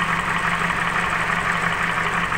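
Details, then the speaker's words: Nissan X-Trail T31 whose CVT automatic was filled with the wrong oil, at idle with the bonnet open: an uneven idle with a faint harsh rattle and a slight stumble as the engine shakes; rough running, with engine repair advised separately. "kita buka k mesin suaranya seperti itu ya teman-teman mesinnya juga sedikit kincang seperti ini goyang"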